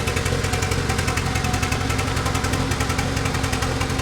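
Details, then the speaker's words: 1991 Honda Civic after 10+ years sitting, head gasket just replaced, idle: lumpy beat stumbling every few beats, cylinder 2 missing badly, dead hole maybe not burning fuel, cause unknown; later runs better after head retorqued. "This is the deadest hole. That does nothing. Yeah. Still missing on number 2, though, like really badly."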